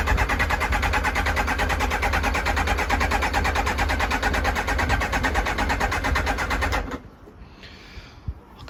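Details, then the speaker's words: Kawasaki ZX-9R sat outdoors 4+ years, labored slow cranking about seven seconds with no firing on an old charged battery running down; weak battery, car battery to be connected. "can hear the battery draining out after cranking for so long I'm not surprised I'm gonna have to connect another battery onto it"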